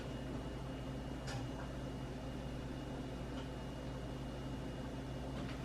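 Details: Samsung range after door lock switch repair, running a self-clean test cycle: faint steady hum with a thin high tone and a couple of soft clicks, counting down and heating normally.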